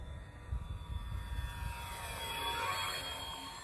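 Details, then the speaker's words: Dynam Grand Cruiser (Cessna 310 style) twin-motor RC plane on 2200 mAh 3S battery, flyby on maiden flight: whirring propeller tones swell and fade with a rough buzzy edge; propellers suspected slightly out of balance. "really like the way it flies feels like maybe the propellers are a little bit out of balance and that's why you're getting that noise"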